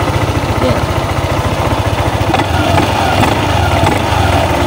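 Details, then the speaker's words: Yamaha Aerox 155 scooter with a CVT drag complaint, engine running: loose, uneven rattling and clacks from the CVT pulley set; the cause was a loose pulley nut and damaged axle thread. "So kadalasan yan ayan merong tunog na kumakalampag."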